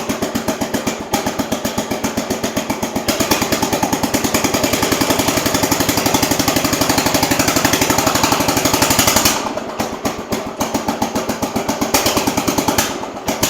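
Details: Jacobsen Chief 800 garden tractor, single cylinder, started cold to warm up for carburettor adjustment: ragged beat about four a second that keeps faltering and won't stay running; owner suspects it's running too rich.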